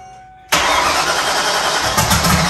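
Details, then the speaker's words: 1994 Mustang 5.0L with Holley Terminator X EFI, Holley high ram, Anderson N41 cam, Pro Comp heads and turbo setup, open downpipe, first start: silence, then it abruptly catches and runs busy and hissy; owner suspects too much fuel. "And then it caught. So I still think there's something where we're getting maybe too much fuel."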